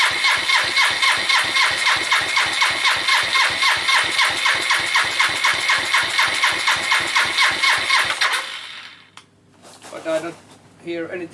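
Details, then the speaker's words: Suzuki GN250 single-cylinder idle after repair of top-end ticking: even beat about four pulses a second, no tick, quiet cam chain, then shuts off; only loose unattached parts rattling; normal idle. "it's not ticking it's rattling but that's because of all my things around the bike are not attached so it's only just things going around there but the engine so"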